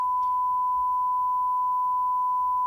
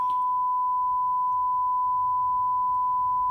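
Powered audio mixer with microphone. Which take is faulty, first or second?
first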